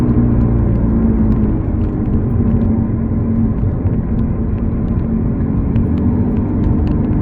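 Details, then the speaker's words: Steady low droning hum while driving over 40 mph, louder when accelerating and dying down off the pedal, from a worn rear wheel bearing; replaced with a second-hand bearing, car then quiet. "it's one of the back wheel bearing that has an issue causing that humming sound"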